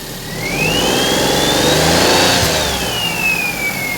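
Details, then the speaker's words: Perodua Kenari with alternator belt fitted after belt squeal in wet, revving under maximum alternator load (rear window, lights, heater fan): thin whistle rising and falling with revs, no chirp or squeal; belt healthy. "But it's not making the chirping loose belt sort of a noise or worn belt."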